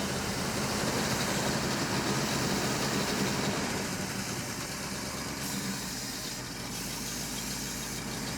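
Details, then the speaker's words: Engine idles with an even, steady pulse and no stumbles, ticks or knocks after fuel pump priming. Judged good, then shut off before getting too hot; compression test follows. Normal idle. "so far so good I'm going to say it's good yeah I think it's all right"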